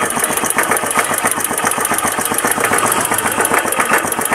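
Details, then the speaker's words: Keeway CR152 single-cylinder motorcycle after connecting rod/crankshaft and clutch housing rubber damper replacement: even putter at idle with soft regular exhaust pulses, no tapping knock; the earlier tak-tak-tak noise is gone, normal idle. "Yun, ang tunog ni Biyaya, ganyan na siya ngayon."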